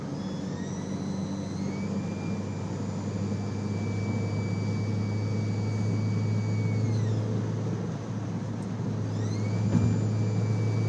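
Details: Audi A4 B6 turbo: a high clear whistle over a low rumble rises and falls with revs. Two rubber grommets in an aftermarket AFE intake pipe, mainly the top PCV grommet, broke, were sucked into the turbo and bent one compressor blade.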